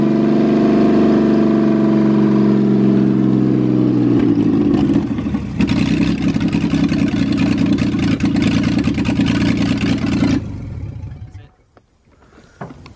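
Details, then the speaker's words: Mustang engine with stock header and no O2 sensors, after replacing the broken spark plug wire: no longer sounds like a tractor, even steady idle on all cylinders, then shuts down; normal idle. "i told you it smoothes way out now how it doesn't sound like a tractor anymore it moves way out once you get the uh right coil"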